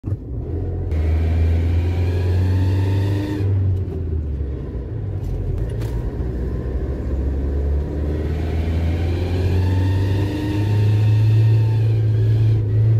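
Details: Loud deep engine rumble swelling and turning harsh as revs climb past 2,500 rpm, caused by exhaust gas leaking through the exhaust manifold gasket.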